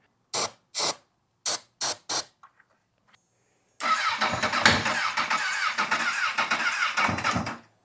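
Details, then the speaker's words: Lightly crashed Honda CBR1000RR cranked in five short bursts on starting fluid, then a rough, ragged roar as it catches; ignition active but not getting fuel, and something makes a really bad noise, cause unknown. "something didn't sound good though I I don't know what it is I think what we just learned the takeaway from this is the ignition system is active like it wants to run not getting fuel and something was making a really bad noise"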